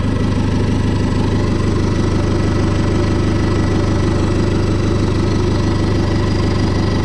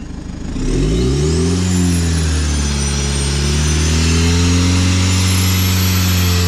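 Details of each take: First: Fiat Ulysse diesel idling at first start after turbo refit: an even rhythmic rumble of about three pulses a second with a steady underlying drone; owner hears bearing noise and says bearings need doing, cause not confirmed. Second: Fiat Ulysse after turbo refit, revved to about 3000 rpm while checking for oil leaks: engine picks up cleanly with a smooth, even drone and no whistle; smoke decreasing, running well, no apparent turbo oil leak.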